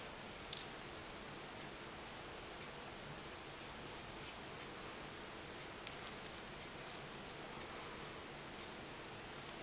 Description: iPhone 3GS takakuoren yläosasta kuuluu tuollainen rätisevä ääni, videossa myös näkyy, että simkortin pois otto ei auta.